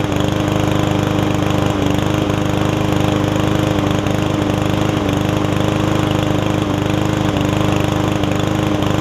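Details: Yard Man self-propelled push mower with Powermore engine, sat a while, after a detailed carburetor clean: small single-cylinder engine holds a steady, even drone with no misses or surging; running cleanly.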